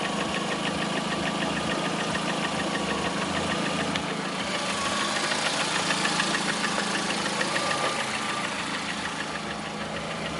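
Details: 2009 Lada Priora, 37,000 km: steady, sharp metallic tapping at about three per second over the idle; the engine started knocking about 500 km after Suprotec additive was added, and the origin of the knock is unknown.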